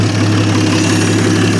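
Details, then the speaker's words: 1950 Studebaker Champion revived after 40 years in a barn, on restart after a high cold-start idle; even steady low rumble with no misses, knocks or stumbles, no big leaks, no longer smoking; normal smooth idle. "sounds pretty smooth All Things Considered I like it not even smoking anymore"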